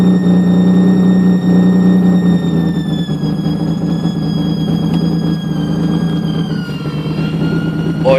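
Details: 2003 Nissan 350z with a replacement engine that had 75,000 miles on it, noise starting after a radiator replacement: a steady, piercing high-pitched screech over the running engine that fades as rpm drops, with a very high pressure gauge reading.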